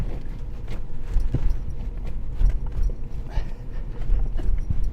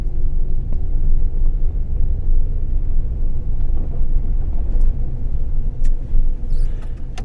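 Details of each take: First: 2009 Ford Ranger with a 4.0 L V6 and manual transmission, shifting very hard. Irregular heavy thuds and clunks as reverse is forced in, because the clutch isn't fully releasing. Hard gear engagement from low clutch fluid. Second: 2009 Ford Ranger with a manual transmission, after the hard-shifting fix, driving on snowy roads. Steady engine rumble under road noise while changing up through first to fourth, with no grinding or clunk. Normal, clean gear shifts.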